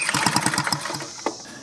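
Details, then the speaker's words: 2-cycle blower spark check after resetting the ignition coil air gap with a card: quick pull-start cranking with raspy chuffs that die without firing; still no or weak spark, new coil bought to replace the suspect one. "I also bought a new coil because we didn't have spark or we had weak spark I think that's the problem"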